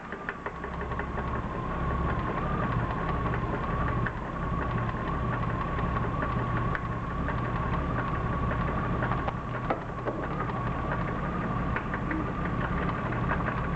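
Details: BMW E36 323i, M52B25 engine, 140,000 km: faint regular light tapping over a steady idle hum; pulling each ignition coil plug in turn (cylinders 1–6) leaves the knock unchanged, so owner doubts a rod bearing failure.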